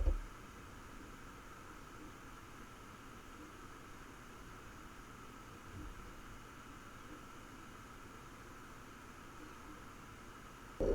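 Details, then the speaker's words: NAS running four Toshiba hard drives at idle, drawing 39–40 W: quiet steady fan hiss with a faint whir and an occasional soft tick from the drives, normal noise that stands out only marginally. "you can hear the fans but it's the occasional tick and were and hmer those drives that stands out but only marginally"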